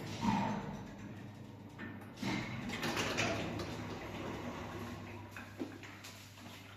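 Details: Samarkand-built SLZ elevator, 320 kg capacity, 0.71 m/s, door drive after replacing the door motor (AS-72 motor): doors slide through travel with soft motor hum and light rumble, no scraping or stalling; normal door operation.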